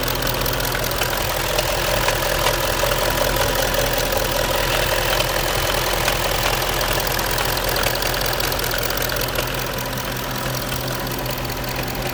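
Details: Audi A8 4.2 TDI diesel at idle: sharp regular knock about 2.5 per second from right rear of engine; internal engine knock, cause unknown.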